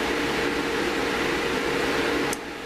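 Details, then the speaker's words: Cooling air blower for a new-old-stock GS-35B tube in a grounded-grid linear amplifier, run with heater on for 24-hour bake-in; steady airy rush with faint hum, no rubbing or bearing whine; measured about 67 dBA, seems quieter than before; normal. "doesn't quite sound as noisy to me today. Maybe I'm getting cloth-eared. But let's just have a look at the noise it's making."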